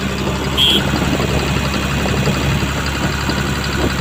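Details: Komatsu PC200-8N1 excavator diesel, previously hard starting from a leaking common rail fuel relief valve: smooth, steady idle with an even low hum and no misfire, knock or hunting; engine running healthy.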